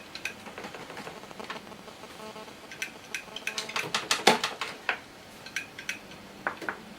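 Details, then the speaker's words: Old IDE hard drive tried on a VIA EPIR mini-ITX board: irregular sharp ticks about three a second, the dreaded click of death, a drive that keeps seeking and failing; owner concludes it is broken. "but of course we have the dreaded ticking of Doom which actually sounds quite"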